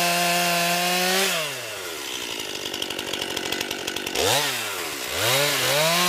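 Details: New 50cc chainsaw, about ten pounds, cutting wood from a skidded pile on a cold sunny day: high scream bogs evenly into the wood, then revs cleanly back up between cuts. Owner finds lots of power for 50cc; normal healthy cutting.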